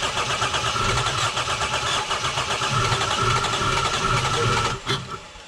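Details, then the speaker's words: Lexus GS300, 2JZ-GE: the starter cranks briskly, about four beats a second, with no catch or firing, so it cranks but won't start. The cause was a faulty ECU with leaky capacitors. "So you just heard the vehicle cranks but it does not start."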